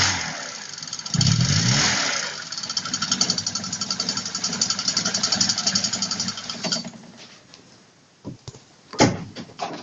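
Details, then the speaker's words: VAZ 21102 (Lada 110): after start-up a light rapid knock, about four per second, rides over the idle. It disappears when the crankshaft belt is removed, but persists after replacing two water pumps, two alternators and the fan, and with the fan removed. Cause still unknown. "если снять ремень с коленвала то стук пропадает поменяли уже две помпы два генератора стук всё тот же"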